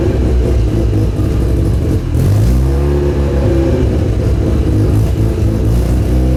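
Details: Mazda RX-7 FC3S Turbo II with a newly welded custom stainless exhaust, catalytic converter deleted, muffler fitted, recorded while driving and accelerating: a deep, smooth note rising and falling with no rattles or leaks. Very quiet with a nice tone; the turbo spool is audible.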